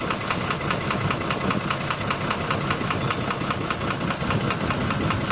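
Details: Engine code 12-M FE at idle: sharp metallic knock repeating about two and a half times a second over the idle, steady and clear; engine knocking.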